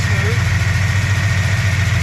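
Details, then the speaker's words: 1965 Plymouth V8 automatic idling after idle mixture screws adjusted (turned out, possibly lean), almost 20 inHg vacuum, idle at 800 rpm: even low rumble, steady pulse, no misses, knocks or hunting. "we got almost 20 inches of mercury. It's smooth."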